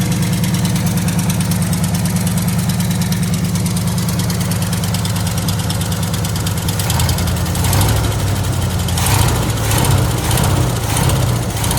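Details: 1979 Chevrolet C30 after Rochester Quadrajet carburetor rebuild: steady, even low idle rumble with clean throttle blips rising and settling smoothly; sounds good overall.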